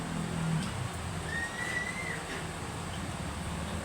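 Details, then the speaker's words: Electric fan after repair: steady low hum, smooth oscillation with no stopping, clicking or noise; previously swing stalled and clicked. "Wala na siya no? Hindi na siya tumitigil. Hindi na siya naglalagitik o nag-iingay."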